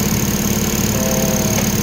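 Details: Toyota Corolla 4AF 16-valve carbureted engine after repair of a broken number one high-tension wire, cleaned carburetor and tuned air-fuel mixture (previously hard starting, misfire, dying idle): steady, even idle with no stumble or misses, light accessory whir; normal idle.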